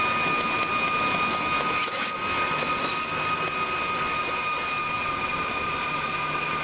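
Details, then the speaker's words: Drain cable machine clearing French drain line backing up under pool deck: steady whir with thin high whine and rough loaded edge, pitch changing as cable bogs down at blockage about 25–30 feet out. "And you'll notice as I run the cable, you'll hear the machine change pitches. It'll start to sound different. That means I'm hitting a problem."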